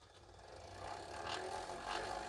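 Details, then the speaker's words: 1983 Ferguson 3V32 (JVC HR7655) VCR, long unused, on fast forward: a thin whirr climbs in pitch and level as the reels spin up, with rough flutter from a worn idler. The idler needs replacing and the belt too. "you can really hear it there so there's definitely a problem with that idler i do need to replace the belt on here as well"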